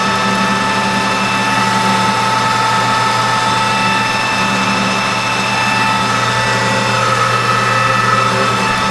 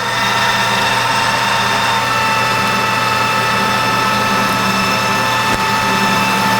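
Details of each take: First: 1988 Rutland lathe at about 620 RPM with new insert tooling, roughing axle blanks for a 1/8-scale steam wagon drive shaft. Steady drone under cutting load with a thin ringing tone. The harmonics don't show on the part; the source is possibly inside the cabinet, unconfirmed. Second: Newly reassembled 1988 Rutland lathe at about 620 rpm roughing a steam wagon axle blank: steady motor hum with clean high tone under cutting load, slight harmonics heard but not showing on the part; running healthy.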